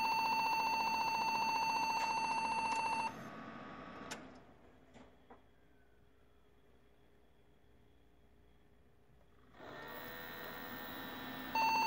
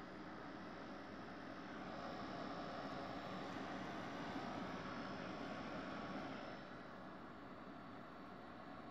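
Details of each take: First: Desktop PC knocked over hard: at power-on, long, steady high-pitched beeps, a pause, then more beeping, and it won't boot. A RAM stick was likely dislodged; it was fixed by cleaning the memory. Finding: POST beep code, memory fault (loose RAM). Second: Desktop PC that beeped and wouldn't boot after being bumped, after cleaning and reseating memory: soft steady fan rush with no beeps, booting normally to Windows.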